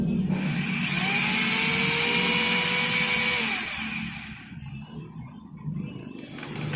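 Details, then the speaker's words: Makita HR2230 rotary hammer, previously weak with no power, test-run after armature-side service with new 627 bearing and wave spring: motor spins up smoothly to a steady high whine and coasts down cleanly; power restored, normal run. "OK, great, the power has recovered again, now let's just bolt everything"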